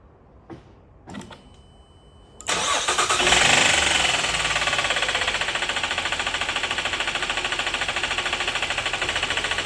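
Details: 2012 Buick Enclave cranks and catches, then a hard, steady knock about three to four beats a second at idle after the engine flooded with water.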